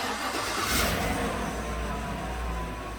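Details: 2018 GMC truck 5.3 V8 that had a faulty front bank 1 O2 sensor (codes P0172, P0300, P0132, P0137), started while watching O2 sensors and fuel trims: starter whirr, quick catch, brief rev, then steady even idle; quickly in closed loop.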